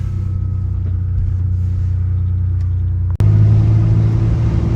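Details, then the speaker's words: 1988 Ford Ranger driving on a slippery road, heard in the cabin after a muffler repair with new bolts for a cracked, fallen pipe: a steady deep exhaust drone with a gap at the shift and no rasp; a small leak remains between catalytic converter and muffler. "Oh yeah, like I said, that sounds so much better."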